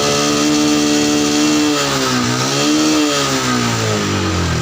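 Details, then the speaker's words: Yamaha Jupiter MX New 135, carburetor not serviced or opened for about 6 years: revving single-cylinder wavers and dips instead of climbing cleanly; dirty carburetor jets suspected, not yet confirmed. "Jadi dia ada berebut kalau di kecepatan 70."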